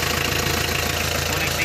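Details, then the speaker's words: 4D56 diesel at 30–31°C with the glow plugs disconnected: it started almost immediately and settles to a steady, even diesel clatter with no misfire. Normal idle; hard start not caused by glow plugs. "as you have seen no glow plugs and temperature 30 31 degree celsius the engine started almost immediate no hard start problem all that without blow"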